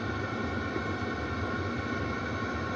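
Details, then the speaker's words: Webasto heater in a converted van during warm-up, fitted without an exhaust silencer: steady, loud, even roar, mostly exhaust rather than fan. Other installs with a silencer were not loud; noise drops once it reaches temperature. "Mais limite, c'est plus l'échappement qui fait du bruit hein, que la ventilation. Bah, dans les deux autres, les deux autres que tu avais montés, ça faisait pas ça. Mais parce qu'il y a le silencieux."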